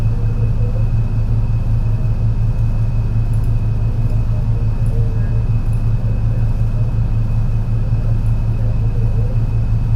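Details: MAN NL202 CNG bus with ZF Ecomat 5-speed automatic climbing a hilly route under load: heavy labouring engine with uneven lumpy beat in the low rumble; bad engine misfire under load.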